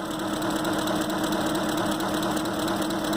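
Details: 2005 Ford Expedition 5.4 L V8 (engine from a 2008) at idle: rough, uneven pulse, misfiring with cylinders 7 and 8 dead; coil driver being checked.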